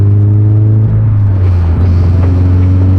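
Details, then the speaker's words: 2013 Subaru BRZ with Greddy Evo GT catback before fitting Tomei catless unequal-length headers and HKS Spec L2; deep steady boom under the engine while driving, barely changing, too loud and droning: cat-back exhaust drone. "Old exhaust is off. Headers and HKS. Yeah, it's way too loud. Too drony."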